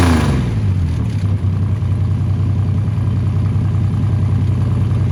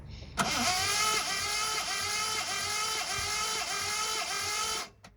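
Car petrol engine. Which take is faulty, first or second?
second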